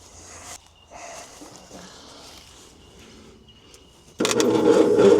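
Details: 1972 Bedford J series truck, long unused and without an air cleaner: after outdoor quiet the starter cranks the engine steadily with no firing at all despite good spark and suction; the cause was distributor timing being out.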